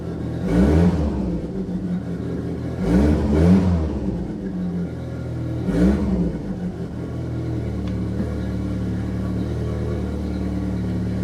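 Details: Saab 900 Turbo with K-jet fuel injection, previously non-running, after K-jet repair: catches, blips three times, settles to steady even idle without misses; normal start and revving, though the engine still has small vacuum leaks.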